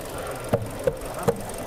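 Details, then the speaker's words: Kia Sportage G4NA engine first started after a rebuild for knocking, with new thrust washers, oil pump, rod bearings, chain and spark plugs, on a cold day: low, steady, even idle, injectors working smoothly, no shaking. "слышится как работает двигатель сок вот это форсунки работают хорошо ровно не трясёт и не колбасит"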